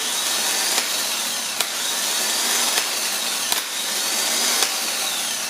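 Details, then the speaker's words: Starter from a 1996 Dodge Caravan, bench-tested by jumping the small solenoid post: sharp solenoid clicks about once a second over a steady high whir as the gear pops out and spins; starter engages and turns normally. "So it did pop out and it spun. I'll do it again. Hear that click? The click is it popped out and it spun. Spun the gear, engaged it, and everything seems to be working correctly."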